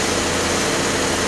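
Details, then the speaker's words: Radiator electric cooling fans on a 2004 Pontiac Grand Am 3.4 V6 (Ram Air), replacement fan running: steady even rush of moving air, no squeal or whine; old fans were replaced because of bearing noise; normal cooling fan operation. "you hear the fans Valley and a good one you hear the air moving the bearings of the fan which they were suitable there but and that means they were going to go out"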